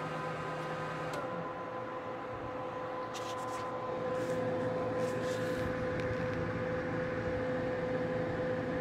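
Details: Gigabyte G1 R9 390 graphics card after fan replacement with 87mm 4-pin dual ball bearing PLA09215B12H fans, run at 100% speed: steady even whir with a thin constant tone, speed level; fans spinning smoothly and healthy.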